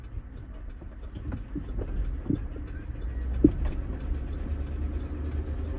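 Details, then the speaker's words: Rod knock while driving a GMC Yukon XL with a 5.3L V8, just over 150 on the clock, on a 6-mile drive home: sharp irregular knocks under road and engine noise, heavier on load, with the vehicle lurching. "This thing is knocking so bad. Oh, it's knocking real bad."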